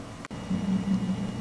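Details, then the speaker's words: Normal hard drive seek noise while a Windows XP service pack installs on a rebuilt computer: soft, rapid, uneven thumping bursts over a steady low hum, more thumping than clicking, a "coffeepot" noise; ordinary seek activity. "hard drive noise sounds more like it's thumping than clicking that's the coffeepot noise I was talking about"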